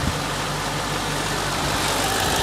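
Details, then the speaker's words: BMW E64 6-Series, N62 V8, after running 500 yards with zero oil pressure, new oil filter cover, oil and filter, idling: steady low hum with light hiss, no knocking or rattle, no big-end or main-bearing noise; engine sounds healthy. "there we go that sounds lovely by the way that's perfect haven't got any worries about that at all no weird noises or anything so yeah I'm happy with that"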